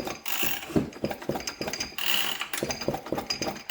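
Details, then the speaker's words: 1977 Poulan Micro 25 chainsaw that sat at least 20 years, pulled over by hand: quick ratcheting clicks over an even mechanical whirr; the engine turns freely and isn't seized. "okay well that's that's a good sign so it's not stuck that's a good start"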